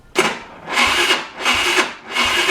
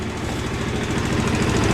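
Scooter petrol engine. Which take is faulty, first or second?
first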